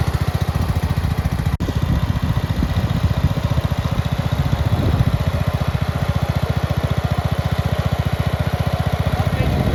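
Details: Red 1962 Bolens Ride-a-matic tractor started with a bit of choke after restoration work: the small single chugs along at a steady, even beat with a solid low thump and no misses or rattles, running very well.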